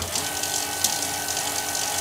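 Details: Bafang BBS02 mid-drive motor on a Specialized Fuse plus bike after conversion, first power-up running at assist level five: smooth, constant electric whine with light gear hum, no knocks or grinding; motor running normally.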